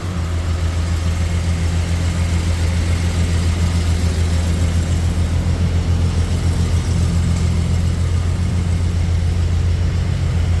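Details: 1971 Jaguar E-Type fuel-injected V12, first start after a 2-year rebuild, throttle body not yet adjusted: lumpy, uneven idle misfiring because three injectors were not connected. It ran smoothly once they were connected.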